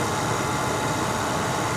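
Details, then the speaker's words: 1988 Cadillac Brougham, 41k original miles, replacement 5.0L 307 V8 with electronically controlled carburetor: steady, even hum with no misses, knocks or surges; normal smooth idle. "they were designed [Music] to run as smooth as possible and it does it's very smooth"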